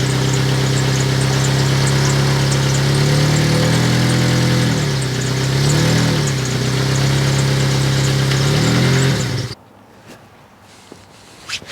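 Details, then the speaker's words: 2003 Honda Element idling, petrol engine: raspy, puffing exhaust note from an exhaust leak, owner believes at a gasket, then engine shuts off. "so hopefully when I start it up and and I ran it you guys could hear that exhaust leak"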